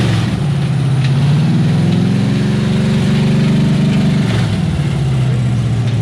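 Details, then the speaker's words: 1989 Chevrolet K2500 with a freshly rebuilt 350 small-block, revved after a transmission install: heavy, loud rapid knocking about four per second that grew worse; severe knock, later traced to a nut in the #8 cylinder with metal in the oil. "i started running it you know i was revving it up and i started hearing it more and more and more and more so i shut it off"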